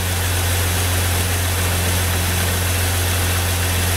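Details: 2001 Jeep Grand Cherokee 4.0 inline six after replacing the crank sensor for a crank-no-start with code P0320: smooth, even low rumble at a constant idle with no misses or stumbles; idling normally.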